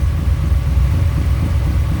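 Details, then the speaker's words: 1985 Dodge Ram D150 with carbureted 408 stroker V8, fuel pressure adjusted up from about four psi, compression around 350 on all cylinders: deep, steady rumble with even lope, no misses; running decent. "all right well if it sounds like he's running decent now I had to adjust the uh fuel pressure up it was at like four pounds"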